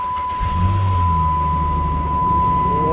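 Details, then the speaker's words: 2008 Dodge Ram 1500 that wouldn't start or stay running, fuel pump running, full tank, primed by cycling the key; engine catches at once and settles into a steady, even low rumble, normal start. "Wow. Started right up. That was simple enough."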